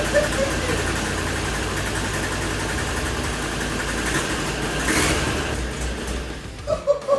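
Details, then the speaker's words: Abandoned 2003 Land Rover Discovery 2, first start after new inertia switch and spark plugs, old oil and coolant: engine catches with an uneven lumpy beat and wavering note, stumbling; running very rough. "And now that it was running, and obviously it started up again. But it was running very very rough."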